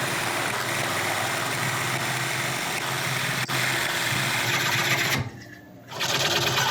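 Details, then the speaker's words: Woodturning lathe coring a large natural-edge elm bowl with a McNaughton coring system, first use: steady rough scraping with a dragging, labouring edge as the blade starts to bind; clearing material to widen the kerf for clearance. "okay I'm not giving up yet I just need to I think clear a little bit of this material out of here just to give me a better access cuz as you can hear it's starting to bind hopefully that will give me more clearance"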